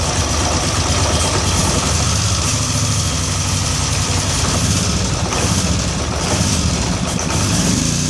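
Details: 2013 Polaris Sportsman 850 XP HO twin idling rough and lumpy, with a stuck-throttle code 520194; new TPS, throttle body, IAC and cleaned T-MAP gave no change.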